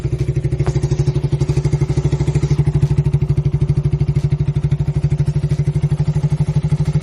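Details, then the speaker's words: 2008 Suzuki Satria FU 150, 17 years old, unused for 3 years, just after a full engine overhaul, 43 km on the speedometer since it was fitted: even, quick exhaust pulses at a steady idle with no knocking or misses. Normal smooth idle. "Ya suaranya kita denger tadi ya, lumayan halus lah ya."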